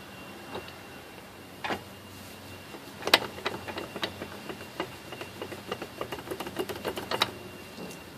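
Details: 1988 Jeep Grand Wagoneer drivetrain: sharp, light metallic clicks in uneven clusters, getting busier midway, with almost no low running hum.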